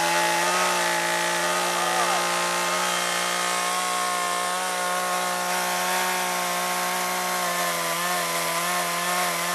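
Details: Chainsaw running on old stored boat and chainsaw gas: a high, steady two-stroke buzz holds its pitch under cutting load without stumbling or surging. Normal running.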